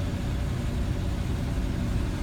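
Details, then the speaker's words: 1984 Chevy truck, 5-litre V8, odometer 95,000 miles (accuracy uncertain), new battery, just started: low steady rumble at idle, even firing, no knocks or ticks; idles smoothly. "so it starts up nicely"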